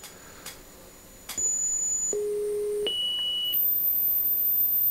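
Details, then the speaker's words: Marantz PMD 520 3-head cassette deck side B auto bias: separate steady test tones step between high and low pitches, slow and laboured but thorough; the deck calibrates normally. "said it's a very labored uh it's the slowest three head bison i've ever seen but it seems to be thought and it works well"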